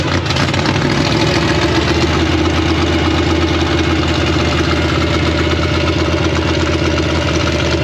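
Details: 1956 Chevy V8 with new Tri-Five headers, start after a year-long rebuild: loud steady lumpy idle, even rhythm, no misses, settles well, timing checked and sounds about right.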